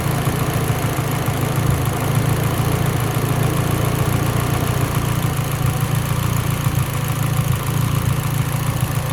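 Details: Mitsubishi Evo X, lean idle: rough, uneven idle with irregular low thump breaking the rhythm; idle misfire, cause suspected lean, not confirmed.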